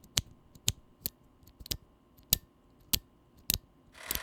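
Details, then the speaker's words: Drop Holy Panda tactile mechanical keyboard switch, lubed with Krytox (leaf spring not yet lubed): each keypress gives a sharp, bright metallic tick with a faint ping after it; leaf spring tick. "as you can probably tell the leaf spring tick noise is fairly easy to pick up even on the regularly lubed glorious bandit"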